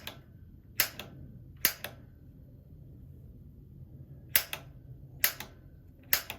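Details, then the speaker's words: A.O. Smith GCG-50 gas water heater after its bad gas control valve was replaced: relighting the pilot, held down about 30 seconds to purge air, while the igniter button is pressed; sharp snapping clicks, often paired, about once a second; piezo igniter sparking normally. "and then i'm gonna start hitting the igniter button and if you listen very carefully you'll hear it spark"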